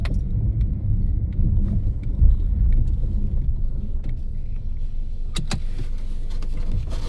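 Low steady hum fills the cabin while driving, with faint irregular high chirps like a cricket over the road rumble; source unclear.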